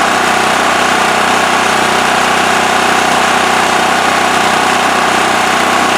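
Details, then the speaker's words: Westinghouse WH7000EC 7000 W electric-start generator with plugged spark arrestor removed from exhaust. Constant, even drone, no surging, misses or knocks; normal running. "All right, so it's running pretty good, as you could see."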